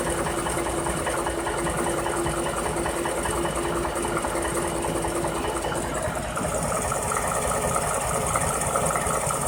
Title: Coyote engine knock